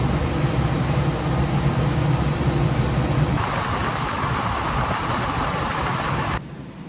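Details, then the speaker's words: HVAC air handler blower on a tenant unit whose fan would not shut off and which blew fuses: after repair, thermostat set to cool, compressor and fan both run; steady even rush of air, no surging or rattle; blower normal, suspect relay possibly blowing fuses. "nope compressor on fan on okay one problem fixed"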